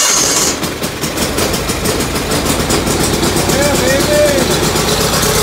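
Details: Gravely 817 tractor, single-cylinder engine, started after sitting with fresh gas poured into the air intake: crisp steady idle at roughly four beats a second, running properly again.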